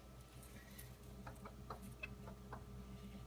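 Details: Whirlpool bottom-mount fridge WRF736SDAM, knocking from the day it was delivered. Faint, irregular sharp taps over a steady hum. Service suspected the evaporator/freon, but mastic on the evaporator barely reduced it; cause unclear.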